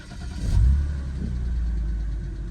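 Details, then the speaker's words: BMW E90 325i with the N52 engine after the O2 sensor repair and clearing codes. It catches quickly and settles into a steady, even low idle with no misfire; the check engine light stays off, so the fault appears fixed. "Check engine light is not on. I think we have a success."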